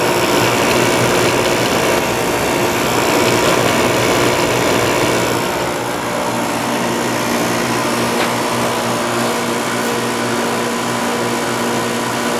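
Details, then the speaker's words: Window air conditioner warmed with a heater in front, with worn rubber compressor mounts: a steady buzzing hum with a rattly edge over the fan rush, as vibration passes into the cabinet. It still cools ice cold but uses a lot of power. "the rubber compressor mounts are a little worn out so it transfers a lot of vibration from the compressor to the case but it works very well"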